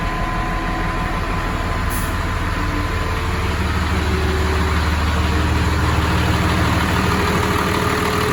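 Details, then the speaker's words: 1996 GMC 3/4-ton Suburban with Cummins diesel swap: deep, even diesel clatter at steady idle, about three beats a second, no misses or knocks; healthy engine. "Gotta love the sound of a Cummins diesel."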